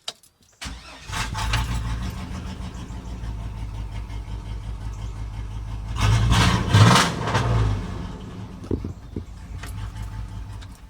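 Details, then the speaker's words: Cateye truck before the new muffler is installed, original exhaust: it cranks, catches, then idles with a deep, booming rumble that swells on a throttle blip. The exhaust is too loud. "And the truck, I want you guys to hear it before I put the muffler on. This is how it originally sounds."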